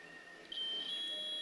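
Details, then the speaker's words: Multimeter set to continuity mode, probes across a single yellow wire: a clean, steady high-pitched beep holds on, confirming the wire is continuous. "So you can hear the sound. So this shows that this yellow wire is continuous."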